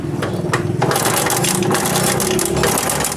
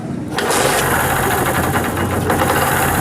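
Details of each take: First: Honda CD70 single-cylinder engine: rapid loose metallic clatter over the running note, steady with engine speed, from a very slack timing chain; bike had stalled while riding and timing has slipped out; chain replacement planned. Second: Honda CD70 single-cylinder engine at idle after retiming (loose chain had caused timing to slip, noise and starting trouble): fires up, quick steady patter, no top-end rattle; normal idle.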